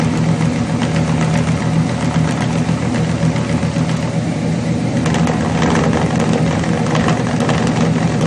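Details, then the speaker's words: Chevrolet 350 V8 with long tube headers, failed valley-side intake manifold gasket causing oil consumption and rough idle; uneven, lumpy idle with occasional dropped pulses; cylinders 4 and 6 weak on power balance test. "or rhythmic pattern on the left bank and on the right bank we have two cylinders that are we we should be able to see an irregularity"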